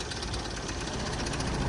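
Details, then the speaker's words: Tata diesel, hard-starting with a flat battery, running a rough, uneven idle with a hard knocking clatter, revving poorly and stalling; injectors had thin sealing washers and cylinder 1 needed an injector rebuild. "ไม่ขึ้นนะฮะเครื่องเขกเล่นไม่ขึ้นแล้วก็ดับ"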